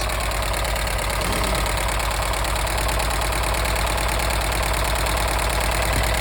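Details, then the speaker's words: 1983 VW T3 Vanagon engine, first cold start after head-stud replacement and head seal work: uneven idle with a fast light clatter, about three clicks a second; suspected hydraulic tappets still building pressure, unconfirmed. "I mean it was quite clicky clicky clacky cuz usually it takes a while for the um for the taets to build pressure it's same as in my V8 they hydraulic ta"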